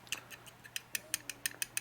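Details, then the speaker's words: Part from a 1946 84ci stroker Harley knucklehead rebuild, pressed on a flat surface after stoning: light, sharp ticks about six per second as it rocks. One corner is probably lower, so the part is not flat. "See, we got a little bit of noise, which means probably this corner here is a little bit lower, I'm guessing, than this corner."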